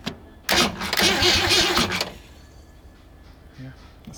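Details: 1965 Ford Galaxie 500 with a rebuilt engine, reportedly stored about 20 years, cranked by operating the solenoid directly via a new starter cable; a brisk, even burst under two seconds with steady turnover speed, starter spinning the engine strongly.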